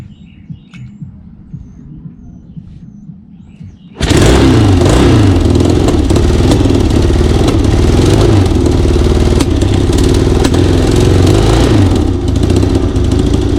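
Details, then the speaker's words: Yamaha XS1B running on rebuilt 53-year-old XS1 carbs with floats adjusted but carbs not adjusted or synced; loud, ragged, stumbling rough running, owner suspects carb setup, timing or a bad valve given earlier low compression. "but it runs it runs on these carbs uh they're not adjusted I didn't sink them or anything"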